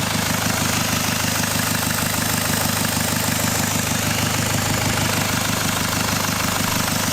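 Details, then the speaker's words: Jaguar XF, first start after starter motor reinstallation: steady idle with an even beat under a constant airy hiss, exhaust leaking from an EGR pipe left unbolted earlier on the ramp; two 10mm bolts refitted cured it. "seems to be some sort of hissing noise. I don't know where that's coming from, but it's alive."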